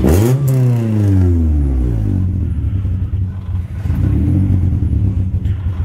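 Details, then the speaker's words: Honda Civic EK after a new timing belt and tensioner (the old belt was floppy): the engine blips and settles to an even, steady idle with no knocks or ticks, sounding solid. The owner suspects the IAC causes an idle issue that clears after a minute. "Yep. It sounds solid. It doesn't sound like you fucked the engine up."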